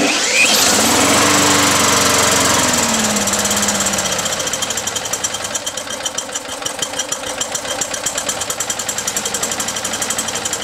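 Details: Mower engine running on diesel vapors made by an ultrasonic transducer: speed sags after a strong start, then settles into uneven popping about four beats a second. Rough running because too little vapor is made, giving a lean mixture.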